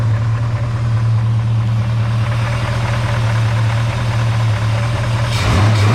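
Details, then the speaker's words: 1946 Chevy pickup with a mystery 350 small-block V8 on its first run after a new thermostat housing and O-ring, still burning off smoke. Smooth idle with a faint, fine metallic rattle of unknown source; owner thinks it is a stock 350. "it goes and it other than that rattle don't know what it is it actually is kind of kind of quite smooth at idle and stuff like that it's um yeah it's just got that weird rattle"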